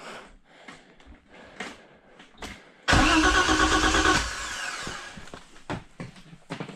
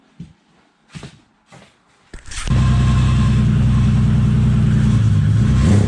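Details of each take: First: BMW E30 325is pulled from the woods after years sitting; about a second of fast starter cranking with no firing, then only clicks; cranks but won't start, cause not confirmed. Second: BMW E30 325is not run in years, fuel pump power restored: a few cranks, then it catches and settles into a steady, even low idle, running smoky after sitting.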